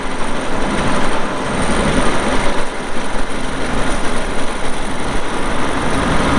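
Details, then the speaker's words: 2002 Volvo G736VHP motor grader, Cummins diesel, about 6,691 hours shown (meter not working): steady, even diesel rumble with no knocks, misses or surging. Normal diesel idle. "it does start up and run good you'll hear that here in a little bit when we fired up and do the operational video"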